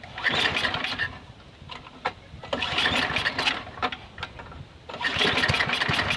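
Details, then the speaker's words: Snowblower after seasonal prep, fueled with stabilizer-treated fuel as the final step: three bursts of engine noise with short lulls, catching and firing up with no grinding or knocking; starts and runs normally. "Our 5th and final step is to add fuel, fire it up, and make sure it runs."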